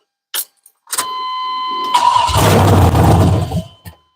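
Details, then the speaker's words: 6.0 LS V8 swapped into an OBS truck in place of a 5.3, first fire with no proper fuel supply connected: brief crank catches into a rough, loud roar for about 1.5 seconds, then dies; oil pressure shot up. "yeah right they said it won't run very long because I don't have I don't have the right I don't have no fuel run to"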